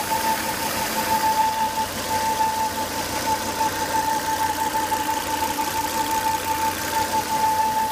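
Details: Volvo S80 2.5T running after 10 to 20 minutes with high intake vacuum, oil cap sucking air hard: steady high whistle near 900 Hz over the engine from a failed crankcase breather, solved by replacing the breather box/filter.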